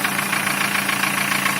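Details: Opel Ascona at idle after camshaft and condenser replacement: a quick, even mechanical knock riding on the idle, cause unknown.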